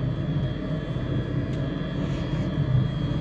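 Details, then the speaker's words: Truck diesel bunk heater after rebuild (new glow plug, screens, blower motor), heard from outside the truck: steady low roar with faint constant whine, no pulsing or misfire, sounding how it's supposed to. "Now that I'm out here, listen to how much healthier that sounds. That's how it's supposed to sound."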